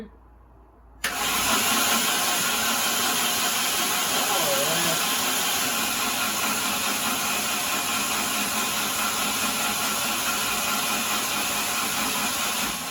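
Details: C20XE engine in a Mini with fresh engine oil, cranking with ignition: steady, even spin-over with no knocks or chatter as oil pressure builds to 80 psi; normal cranking.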